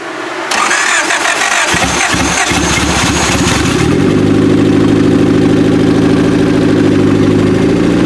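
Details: Turbo B18 engine in a 1995 Acura Integra LS, built motor, first start after cams: after cranking it idles lumpy and uneven; misfire at idle.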